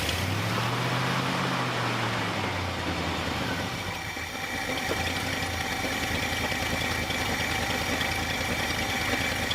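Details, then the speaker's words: 1966 Ford F250 carbureted V8, just started after the fuel tank reinstall: a brief rev drops back into a steady, even chugging idle with no misses or knocks. It runs on clean fuel, with condensation steam from the exhaust and no leaks; a normal idle. "Good clean fuel, that's what you want to see. It's chugging away, I think we're golden."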